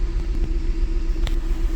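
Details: 2008 Mazda CX9 at idle after startup: lumpy, uneven low rumble with beats dropping out; cylinder 1 misfire from injector open circuit (code P0201), scope showing no injector voltage or amperage, system lean bank one.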